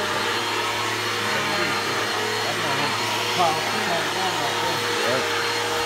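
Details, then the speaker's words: Bissell PowerForce Helix 1240 upright vacuum running: steady motor roar with a faint dry rumble and whir from worn brush roll bearings, not the motor; brush roll needs replacing very soon. "you can hear the bearings are going out in it um not the motor the brush roll um the bearings are out in the brush roll so the brush roll need to be replaced soon"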